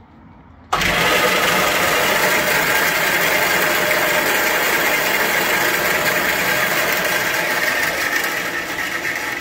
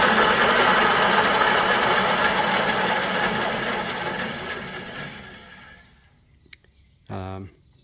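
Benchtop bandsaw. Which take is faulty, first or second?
first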